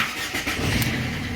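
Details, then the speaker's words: 2005 Ford Fiesta 1.4 diesel starting after replacing the ignition switch contact group, which had caused hard starting and stalling while driving: brief cranking, engine catches at once and runs steadily; normal start. "есть все без проблем машина глохнути не будете не буде заводитись заводиться все працює"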